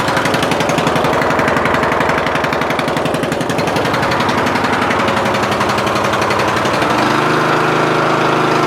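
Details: Murray Select 14.5 HP 42" widebody LT lawn tractor, battery charged overnight: slow, heavy labored cranking, about three strokes a second, struggling against high compression on a weak battery that wouldn't charge; later fixed with new starter, stator and valve adjustment.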